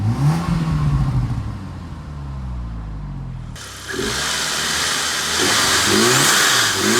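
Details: Car freshly fitted with a TD04 turbo, first start, cold with some smoke from exhaust: clean revs rising and falling smoothly from idle, even throttle response with a steady airy rush, no knocking; engine runs healthy.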